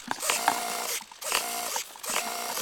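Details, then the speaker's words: RC EZ airplane aileron servo broken after a hard landing: harsh buzzing grind in roughly one-second bursts with pauses; broken servo gears. "that's what a broken Servo sounds like yeah I could imagine that falling out of the air like that didn't do it a bit of good"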